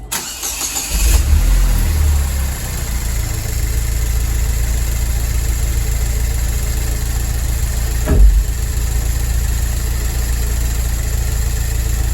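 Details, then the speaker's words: Pontiac Solstice GXP turbo four-cylinder after a timing chain, balance shaft chain and water pump replacement, intercooler tube temporarily attached: cranks, catches and settles into a steady idle with light fast ticking from the high-pressure fuel pump; sounds normal. "so that sounds normal a little clicking fan with the fuel uh high pressure fuel pump so that sounds like a normal GXP to me"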